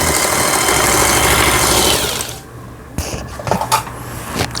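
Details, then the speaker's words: Singer 8280 sewing machine after repair: fast even needle chatter for two seconds then eases off, no knocks or binding; normal sewing machine stitching. "이렇게 바느질이 잘 되는 걸 보실 수가 있어요."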